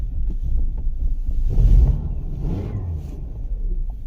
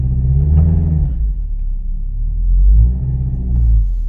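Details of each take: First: 2013 Kia Sorento 2.4L, 103,000 miles, stalls and runs rough, codes P0017, P0106, P0191: low, uneven shaking idle with irregular thumps, dies when given gas; stuck exhaust cam phaser. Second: 2013 Kia Sorento 2.4L after repair for stalling and rough running (codes P0017, P0106, P0191): smooth deep engine note rising and falling evenly with throttle blips, cam phasing now correct.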